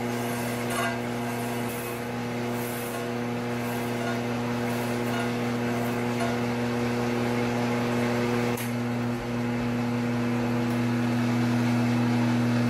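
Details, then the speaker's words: Triumph 650 unit crankshaft being ground: steady grinder hum with a regular chatter about four times a second as the wheel bites the high spots of the out-of-round journal. A little of the journal is cleaned up for the steady rest. "You could probably hear how out of round it was, but I've just got a little bit of it cleaned up so I can have something for my steady rest to press against."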